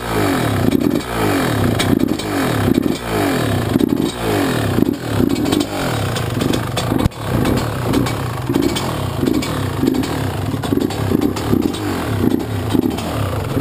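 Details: YZ125 two-stroke, either the 2001 at its first start after a rebuild with a new Wiseco piston or the freshly rebuilt 1999: crisp, clean blips rising and falling sharply with throttle, no rattle or knock; healthy.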